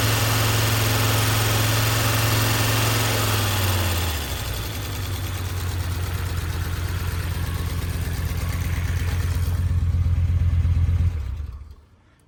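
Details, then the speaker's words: Audi 100 S4 five-cylinder, first run after head work, no radiator or coolant fitted. Idle lumps along, regularly dropping a pulse, one cylinder dead. Owner suspects pumped-up hydraulic lifters holding valves open. "I'm pretty confident that it's just hydraulics jacked open that are stopping that from running on all five."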